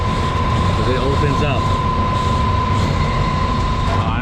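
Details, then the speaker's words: Johnson Controls packaged water source heat pump blower after repair, with a screw added and all missing housing screws refitted; a steady airflow hum with one constant tone and no rattling from the housing, now nice and quiet. "it sounds already better nothing think it's done over there all right check it out guys nice and quiet"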